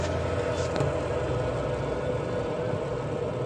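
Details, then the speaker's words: Washing machine (possibly Sharp) after repair of sudden shutdown; low steady hum and rumble from motor and tub, no knocking, scraping or rattle, normal running. "bunyi mesinnya kita bisa dengar sendiri sangat kencang"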